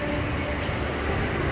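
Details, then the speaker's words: Mall AHU supply grill with other tenant outlets not yet open and ducting blocked: loud steady air rush over low rumble; excess airflow through this grill. "The sound of the airflow is happened because the mall not yet start full for this area, and the ducting was blocked. So that's why it has a big flows at this area."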